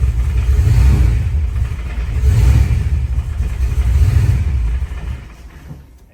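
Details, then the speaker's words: 1986 Ford Mustang Foxbody after reinstalling the heads and correcting the distributor plug wire order. The deep, even exhaust rises and falls through three smooth revs, with all cylinders firing cleanly. It runs well, though the new throttle body sticks and needs adjusting. "I'm gonna do it off camera just because it's easier just to kind of put everything down and focus, but it runs good at least."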